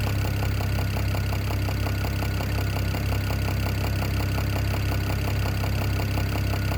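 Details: BMW E92 335i N54 six-cylinder idling steadily with a regular light knock, roughly three to four a second, over the engine hum; owner thinks it comes from the top end, cause unknown.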